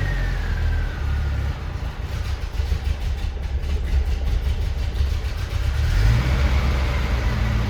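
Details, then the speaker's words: 1985 Mitsubishi Pajero on its original carburetor after replacing all vacuum hoses: low, uneven idle that wavers and stumbles, then a brief rev, no better than before; the carburetor is blamed and later swapped for a Weber. "The same. Okay, so it still doesn't sound good, which means we're going to pull the carburetor and clean it."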